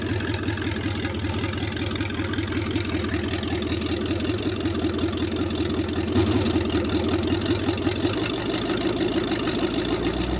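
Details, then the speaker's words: Rebuilt Lincoln 368 Y-block V8 on an engine run stand, not yet at operating temperature, about 70 psi oil pressure, just above 1000 rpm fast idle: smooth regular firing, no knocks or misses — normal idle. "so she's running great and we'll take a look at gauges here we're not at the operating tempo honest Li 70 pounds oil temp still hasn't moved off with the needle there"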